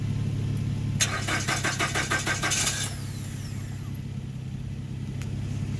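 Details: 2013 Nissan Rogue, push-button start: starter cranks with a quick rhythmic chug, about three per second for two seconds, then stops without catching. Crank no start; ECM not communicating with scanner; battery later found at 2V.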